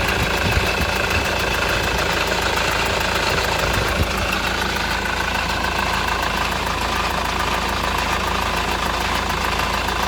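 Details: Honda Accord CN1 2.2 i-CTDi diesel at idle: a steady clatter with a faint irregular tapping riding on top; an engine noise of unclear cause.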